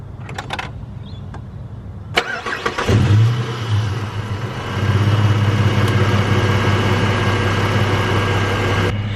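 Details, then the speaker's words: Ford Falcon, started and idling: the engine cranks, catches and settles with a faint thin whine over the idle from the power steering pump starting to fail. "As you can hear, my power steering pump, it has like a little bit of a whine to it. That is the first thing you guys have to listen for with power steering pumps."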